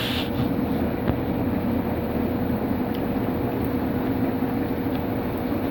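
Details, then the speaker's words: Bestway Lay-Z-Spa Miami inflatable hot tub, about three years old, jets on: steady even blower rush with a low hum underneath, bubbling well, no knocks or rattles; air pump running normally. "So as you can see, it bubbles pretty good. If you put your back right up against there, you'll get some good little kind of bubble massaging action on your back. And it runs pretty well."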